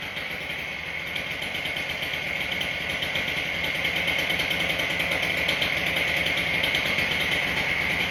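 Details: Husqvarna K770 two-stroke after a soaked and cleaned carburetor, fuel pumping restored and a new spark plug, started on choke: a steady, even fast idle without cutting out; runs cleanly.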